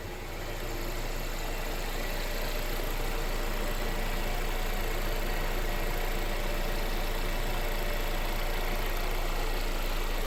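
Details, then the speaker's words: Mercedes CLA started after DIY oil and filter change: smooth even low idle with steady hum, no knocks, misses or rattles; sounds healthy. "all right let's get to it sounds good so far"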